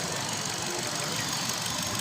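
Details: Hyundai i20 Elite petrol that would not start, with no immobilizer light or scan communication, after ECM repair: engine now started and running with a steady, even hiss, no knocks or misses.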